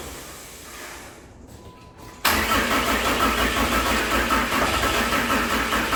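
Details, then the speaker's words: 600hp 6.7 Cummins-swapped hotshot truck after heavy fuel dumping: after a quiet stretch the diesel suddenly catches and clatters roughly, runs for a second, then stalls. Cause not yet found. "Shoot. She ran. She ran for a second. That gives me hope."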